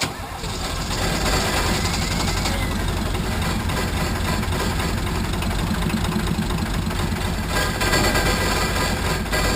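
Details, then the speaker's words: 1980 International Harvester Travelall with Nissan SD33 turbo diesel, just after an oil, fuel and air filter service: it stumbles with an uneven, loping beat, barely running, because air is trapped in the fuel system. The lift pump works; bleeding and priming are needed. "You're okay to give a little throttle. We just got to get the air out of it. We might have to crack that bleed screw again and prime it some more."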